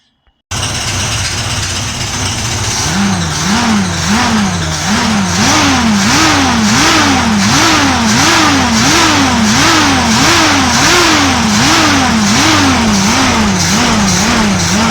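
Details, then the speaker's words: 1979 Corvette with a carbureted V8 (Quadrajet), off the road since 1995 and earlier flooded. Blipped from idle, the revs rise and fall with a ragged, uneven beat and a little smoke. It's a misfire; the owner suspects it needs plugs and a cleaned distributor cap. "As you just saw by the last clip, it runs. It runs okay. It definitely has a misfire. Needs a set of plugs."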